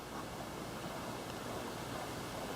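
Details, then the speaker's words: Fairly new Friedrich hotel room HVAC unit with horizontal fan, heard from across the room: soft, even airy hiss like quiet white noise, no rattle, hum or tick; normal fan noise. "you can hear it's pretty quiet it's just a little white noisey a little white noise in the background I can probably sleep through that"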